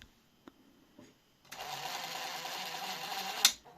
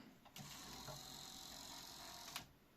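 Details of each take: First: Grundig SCF6100 cassette deck during first test after mechanical overhaul, capstan spinning: loud buzzing chatter from tape transport about two seconds then stops; misfitted plastic switch actuator fouling the mechanism, noise stopped once refitted correctly. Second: Grundig SCF6100 cassette deck, motorized drawer mechanism after overhaul and fixing the head-engaged switch part: soft even whir about two seconds, starting and stopping cleanly without grinding or clicking; operating normally.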